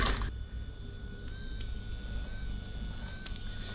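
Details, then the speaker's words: Mercury 3L outboard converted from 225hp carb to 250hp EFI, key on, engine off: faint steady high hum as the VST fuel pump primes. The pump now seems to work after the key was cycled several times. Normal fuel pump priming. "well by looking at that that's that's telling me it's doing what it's meant to do so maybe the VST is good"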